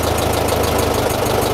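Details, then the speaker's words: 1926 Ford Model TT ton truck, started with a little choke, switched from battery to magneto: slow chugging idle with a sharp clicking buzz from the ignition coils on top; coils click on AC magneto current, normal. "I will switch her from Battery to Magneto and you'll hear the coils sound different they click"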